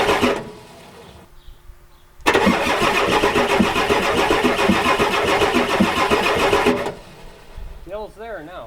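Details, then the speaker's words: 1993 Ford F-250 7.3L IDI diesel, steady starter cranking for about four seconds with no firing. Glow plugs not working, return line and O-rings bad, injection pump possibly bad, ether used. Owner suspects no compression in some cylinders; not confirmed. "the guys can tell it's got bad compression cuz it should start on either this field there now"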